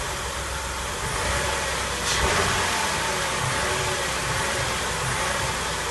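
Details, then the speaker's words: 2004 Mercury Monterey 4.2 at idle with codes P0300, P0301–P0303 and P0316: rough stumbling idle with dropped exhaust beats, rear bank cylinders 1–3 misfiring; cause not yet found, possible catalytic converter damage suspected. "You can hear, you can feel, you can see the misfire. See how the engine's stumbling."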